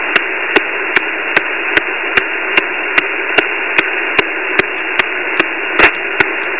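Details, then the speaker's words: Flex 5000 receiver on 17 m (also 10-20 m, barely 6 m): steady hiss with sharp evenly spaced ticks about 2.5 per second; unchanged with house power off, owner suspects neighbourhood, began this morning; RF interference. "i'm thinking it's coming from somewhere in the neighborhood and just started uh this morning so not quite sure yet but take a listen to this noise"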